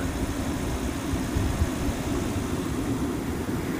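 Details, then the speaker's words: 2005 Toyota Tundra 4.7L V8 4x4 that had run rough with ignition coil codes P0351, P0354, P0356 and P0357. It now shows no misfires: a steady, even, low idle with no stumbles, skips or ticking. Normal idle. "yeah we don't show any misfires either it is running very smooth"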